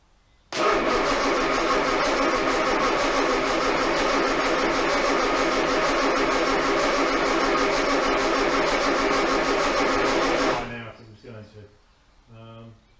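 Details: Armstrong Siddeley Star Sapphire-engined sprint special, unstarted in probably over 40 years, on a little choke, distributor loose and being turned to adjust timing: starter churns evenly about two beats per second for ten seconds, no firing; cranks but won't start, cause unconfirmed.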